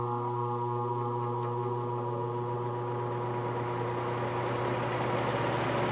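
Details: Patton U2-0018 18-inch three-speed high-velocity fan, blade pitch increased, startup on high: hum spins up smoothly into steady whoosh, no rattles or scraping; motor within spec; normal startup.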